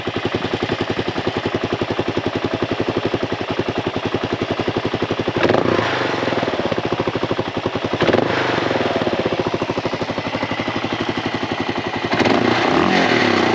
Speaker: First, let's hear how it sounds, because the KLR sounds great.